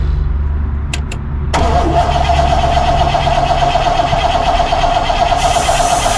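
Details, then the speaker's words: 1964 Pontiac Grand Prix 389 V8, unrun for years, starter jumped and coil hot-wired: starter spins the engine at a steady uneven pace but it never fires; crank no start, no spark found, points suspected (rusted rotor/cap tab found). "i'm going to say we ain't got a spark let me uh check it real quick oh okay no spark so points it is"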